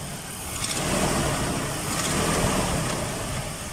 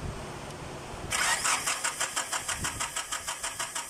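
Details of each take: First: Nissan Datsun after a no-start fix: there was no spark because of a broken small socket on the distributor, now repaired. The engine idles at a quiet, fairly even note with no misses or knocks. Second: Nissan Datsun crank no start: starter cranks evenly at about five turns a second and never catches. There is no spark at the plug; the distributor's small socket was found broken and fixed.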